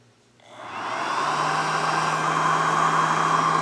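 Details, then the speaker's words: ISDT FD-100 discharger with its small fan, discharging a 4S pack after the current is bumped to 6 amps. The fan spins up within a second to a loud, steady high whirr of constant pitch: normal high-speed cooling. "Okay, so as you can hear, the fan gets pretty loud. So if I bring the current down, say to 1 amp, the fan turns off completely."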